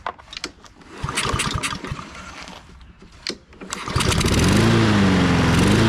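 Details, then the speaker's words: Husqvarna all-wheel-drive self-propelled mower unused 3–4 years, after fitting a replacement carburetor: after cranking and clatter the engine catches and settles into a steady, even drone; normal healthy running. "It seems to work great, so I'm gonna call that success. A lot faster than I thought too, man. Getting used to that, but everything works as it should."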